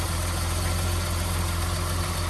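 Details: 1982 BMW E21 320 two-door automatic, very low mileage, six-cylinder idling after start, bonnet open: low, steady idle with an even beat, no ticking or knocking, very smooth; normal healthy idle.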